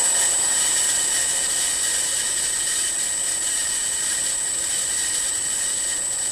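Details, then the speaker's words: Milling machine M head after new pulley-housing bearings, VFD at 60 Hz full speed on highest pulley speed: steady even hiss and whir with faint high tone, no knocking or grinding; spindle bearings quiet, slight motor noise remains. "that sounds really promising the the spindle or the pulley housing is very quiet there's still that noise in the motor and then I'm bringing up to 30 Hertz we're up to 45 now we'll pull speed at 60"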